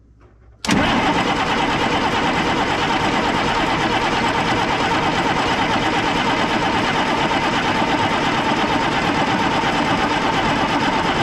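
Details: 1995 International 4700 dump truck with DT466 diesel, fuel-starved during a tank leak repair: the starter churns steadily for over ten seconds with no firing or pickup while priming; the engine cranks but won't start because of air in the fuel system, and the battery is weakening.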